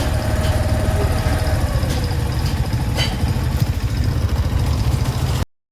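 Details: Motorcycle after roadside breakdown near Tadipatri, repaired at a shop in Royal Cheruvu; low, even thumping at steady idle with no misses or cutting out, then switched off; engine running normally.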